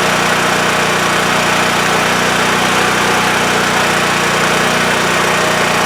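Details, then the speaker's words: WEN TF1450X 14500W tri-fuel generator after repair, formerly shutting off after 20 seconds with loss of spark: steady, even drone at constant pitch, no surging or dying out; running normally. "All right, victory. I was so nervous during those 20 seconds, fearing that it was going to do that same thing."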